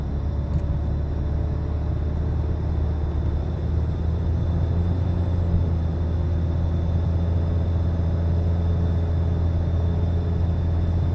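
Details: 2013 Nissan Altima while driving: loud low steady humming drone in the cabin, pitch changing with speed; initially told not a wheel bearing, but months later confirmed as a bad wheel bearing.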